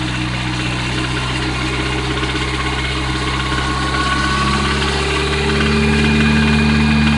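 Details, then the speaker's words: Nissan S14 SR20DET red top revved slowly from idle: steady light tapping about four per second, seeming to come from the upper intake manifold; owner unsure whether rod knock or bad lifter, persists through revs. "i can't tell if this noise is getting worse or if it's a rag knocked or what's playing with developing"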